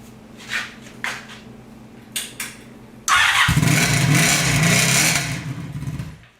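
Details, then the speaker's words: Sabre cafe motorcycle with a new single-pipe exhaust, at idle after a few starter clicks: a harsh, ringing bark far too loud from the undamped muffler. A SuperTrapp muffler is to be fitted. "that's too freaking loud"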